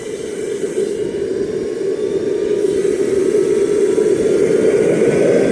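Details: RT130 model jet turbine after rebuild, spooling up: steady jet roar with a thin rising squeal on top; compressor wheel rubs the front housing, which owner thinks prevents reaching the set maximum of 120,000 rpm; sanding the wheel considered.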